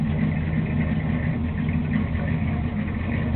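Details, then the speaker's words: Newly installed motor with a performance cam in a Chevy with a pop trunk, idle just after crank-up: deep steady idle with slight uneven exhaust lope, no fault; the owner says the cam "hit a little bit", a normal lopey cammed idle. "Crank it up. I got a little cam in there. It hit a little bit."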